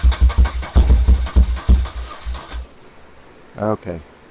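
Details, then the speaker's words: 1978 BMW R100S airhead twin, first start after years sitting: uneven, stumbling low chuffs about three a second that fade out and die; one side not firing, left carburetor blocked, running but not well. "So for now, we're going to call this a marginal success. It's running, which was the goal, but it sure isn't running well."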